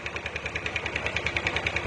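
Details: Yamaha Aerox 155 with error codes 12 and 46 (charging fault) and battery fitted: quick regular idle beat with a sharp crackle each stroke; rough idle, suspected charging current altering ignition, not confirmed.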